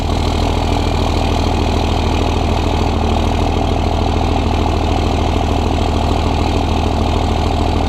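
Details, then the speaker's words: 2001 24v Cummins diesel with stock intake, before Banks cold air intake install; steady, even diesel clatter at idle with only faint turbo hiss, virtually no turbo whistle from engine or exhaust tip; normal idle. "all right so you guys can see we have no turbo whistle pretty much at all I mean you can hear that it's there the turbo is in a existence but you can't really hear any turbo whistle whatsoever coming from the engine or the exhaust tip"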